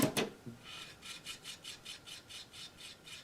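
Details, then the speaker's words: Sony boombox (black, partly broken) CD drive loading a disc: rasping grind repeating about three times a second as disc spins up and fails to read; it reads after retrying; disc drive grinding noise. "this is a copy of the at's first album pop it in and you'll hear the grinding"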